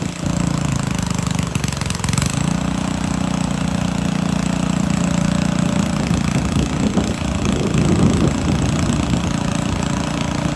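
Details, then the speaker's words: Montgomery Ward rototiller, small single-cylinder engine: surges unevenly with irregular, lumpy beats, speed hunting instead of holding idle; rough running, owner suspects water in the gas as the fuel looks milky and cloudy. "What's that? I think it's got water in the gas. That's what I think it is."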